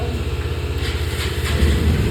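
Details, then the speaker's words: 2022 Bajaj Avenger 160 BS6 that would not start because the MI light stayed off; after a software update the light comes on, it cranks, catches at once and settles into an even single-cylinder idle; normal start. "गाड़ी start. गाड़ी बिल्कुल okay."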